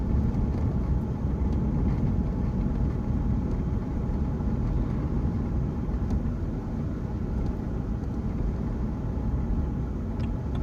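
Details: BMW 1 Series diesel driving in gear: steady faint mid-pitched whine over road rumble, quieter in 1st and 2nd, louder from 3rd up, gone with clutch pressed or out of gear; gearbox whine.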